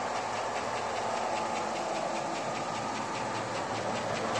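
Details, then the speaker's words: 2002 Avalanche LS 5.3L with Comp Cams mild cam, retrofit hydraulic roller lifters and new rockers, fully warmed up at about 500 rpm idle, 50+ psi oil pressure on 30-weight oil, truck outside the garage: fast, even ticking from noisy valve train. "As you can hear, the valve noise is about the loudest thing you hear right now."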